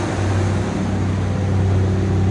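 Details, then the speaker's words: 1992 Ford F-150 with E4OD automatic, after a new thermostat and housing, coolant temperature sensor, oxygen, transmission range, IAC, TPS and MAP sensors, and a remanufactured AC compressor; smooth, steady low drone, no roughness or hunting. Normal idle. "it's running about as good as I ever remember it running"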